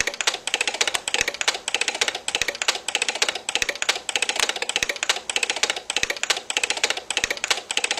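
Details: DUO 14 Premium 2-bit relay computer in fast mode looping a two-command copy/go-to program: crisp bursts of rapid relay clicks repeating about every half second; relays switching normally.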